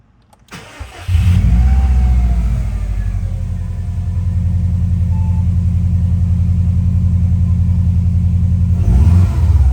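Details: Subaru Impreza WRX NB (TA-GDA, June 2003, 148,345 km), EJ205, 5MT: engine catches and revs into a rough, uneven drone with a faint rising whistle; teardown found a shredded turbo compressor wheel, axial shaft play, coolant and oil on the exhaust side.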